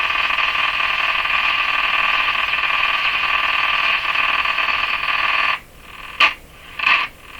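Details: Hallicrafters S-40A shortwave receiver: loud steady hiss drops out suddenly, then short scratchy crackling bursts flare when the tuning capacitor is touched; intermittent contact crackle persists despite cleaning and spraying, no plate rubbing found, cause unknown.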